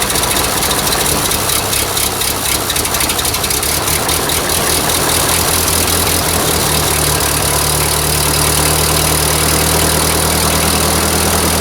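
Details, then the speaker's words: Old Ford 2N tractor started on choke: ragged firing as it catches, then within seconds it settles into a steady, even idle; it runs cleanly. "wow i can't even hardly believe it but it's actually sitting there running oh it's sweet"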